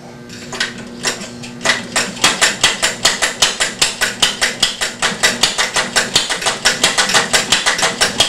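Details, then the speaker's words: Homemade one-valve engine with an experimental ratchet cam drive, motored on a belt and then left to run alone: fast, uneven popping and clatter with irregular gaps. It runs erratically from valve-timing jitter in the ratchet drive and suspected poor atomization from early injection. "bad and it's very erratic because the the the jitter in the mechanics but anyway it does tend to run so i will fire it up on the on the motor then i'll flip the belt off of it and it'll run for a few seconds and then quit"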